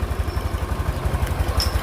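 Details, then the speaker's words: Honda Beat 2020 scooter (oil had blown into air filter, wouldn't start) after replacing dirty fuel pump filter and faulty TPS sensor that caused poor idle: even low putter at idle, steady firing, no knocks; smooth, normal idle. "suaranya halus."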